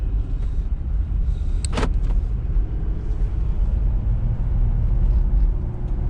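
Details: 2020 Jeep Gladiator Rubicon with 40,000 miles, driving after a fix for a multiple-cylinder misfire traced to a dead number 2 cylinder: steady, even engine rumble under road noise with no stumble or miss. The engine runs cleanly.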